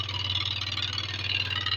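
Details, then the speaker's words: Yamaha Lexi 125 with error code 61, running after the faulty spark plug (ceramic no longer good, spark dispersing) was replaced: uneven, pulsing, raspy idle with an irregular beat; the engine runs rough, engine teardown planned. "ketika businya saya ganti dia hidup walaupun gak normal ya suaranya kasar"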